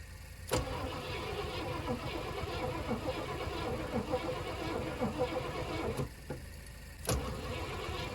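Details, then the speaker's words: 1980 Cadillac Seville digitally fuel-injected 6.0-litre 368 V8, boosted battery: starter churns steadily several seconds with no catch, then drops out; crank-no-start, fuel pump heard working, spark not yet checked. Cause suspected, not confirmed. "it i don't think she's gonna go boys we may have to do uh actual diagnosis check for spark i know the fuel pump's working i can hear it"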